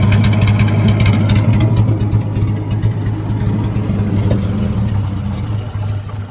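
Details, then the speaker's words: 1956 Dodge C3-H6 1.5-ton truck, first start in 20+ years, jumped at the solenoid: six-cylinder settles into an even low idle, then fades as the gas in the carburetor bowl runs out; otherwise sounds healthy. "But man, that worked better than I thought it would. Not bad. Turn this off. She doesn't sound too terrible either. Sounds pretty good."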